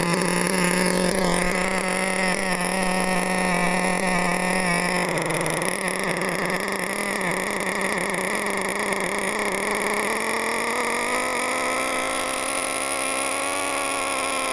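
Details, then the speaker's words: Nitro RC engine with high-speed needle set far too rich, at full throttle: steady high-pitched buzz that barely climbs or picks up; no torque, too much fuel. "full throttle. Look, not going anywhere because there's no torque in that engine."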